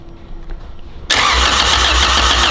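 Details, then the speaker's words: Honda CRX with swapped-in B18 engine and RSR header, fuel primed, first crank to build oil pressure without firing; quiet then steady even starter whirr with regular low pulses, turns over freely — normal cranking. "my gosh, she cranks. Yes, okay. Crank her, get some oil moving in the engine."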